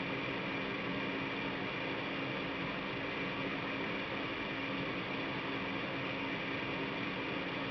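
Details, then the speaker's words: Goodman gas furnace after installing a new 16x25x1 filter, set to recirculate air: blower kicks in with a smooth steady airy rush and faint constant hum, no rattles or scrapes; normal blower and burner operation. "you're going to hear the blower kick in because I have it set to recirculate air"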